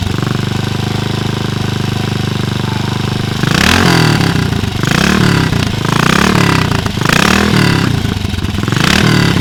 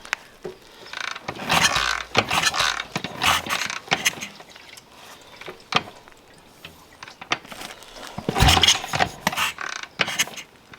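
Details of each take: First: BSA 441 Victor single-cylinder with a Mikuni carb, after the float bowl was removed to clean a suspected clogged pilot circuit: steady thumping idle with about five crisp throttle blips rising and falling cleanly. Normal running. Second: BSA 441 Victor single-cylinder being kickstarted after pilot jet and carb orifices were blown out: separate sharp pops between kicks, backfires but never catches; cause not confirmed.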